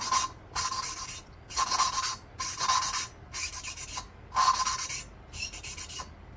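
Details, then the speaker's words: Lapping the valve seat on an air-cooled VW Beetle cylinder head: even back-and-forth rasping strokes turning smoother and duller, showing the lapping is nearly finished, with a few more passes planned. "push this puppy on here hear the sound difference it's basically done I'm going to give it a couple more shots but"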